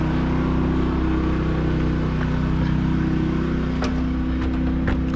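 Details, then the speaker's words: Champion Dual Fuel 3400 inverter generator powering a 50 amp RV through a 30 amp dog bone, with the air conditioner and lights on, recorded from a distance: steady, even low hum with no surging or hunting; running fine under load. "the rv is plugged into the generator now it's running fine i kicked on the air conditioner so it's going good"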